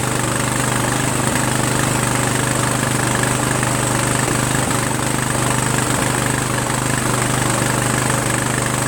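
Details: Sabre by John Deere lawn tractor with a repowered single-cylinder engine and a swapped carburetor, at first start in neutral; steady idle at three to four beats a second with slight puffing while the breather dumps residue; teardown found a blown head gasket.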